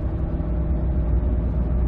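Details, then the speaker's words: 2005 Ford F-150, 9.75 rear axle, about 116,000 miles, road test after differential bearing repair: steady tyre hum from big knobby tires rising with speed, no whine or growl accelerating or coasting; axle healthy. "hear a tire annoying is about it let's listen nothing both accelerating and coasting that's awesome just entire noise got big knobby tires on here"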